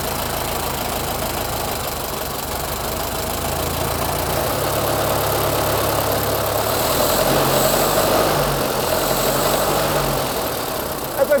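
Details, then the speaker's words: 1925 Ford Model T after decades sitting, points cleaned: slow, even four-cylinder chuff with steady beat, no misses or knocks, coils visibly clacking and sparking; runs well, normal idle. "Dude, it runs good. - It's running really good."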